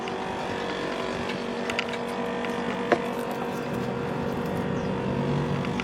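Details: 1990s Japan-made National (Matsushita) CU-915KH 1.0-ton mini-split outdoor unit on roof tile, daytime: steady droning hum, low buzz, occasional clicks; noisy since September 2012 after being very quiet, loudness varies, cause unknown.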